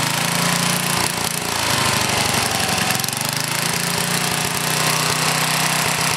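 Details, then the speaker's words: Older Briggs and Stratton small engine with a one-piece Flow Jet carburetor, running with a rough, uneven beat and an occasional light sputter. Occasional sputter is acceptable; constant backfiring and sputtering means the mixture should be leaned out. "a little sputter now and then like you hear there is okay if it starts backfiring and sputtering all the time that's when you got to try to lean it out a little bit"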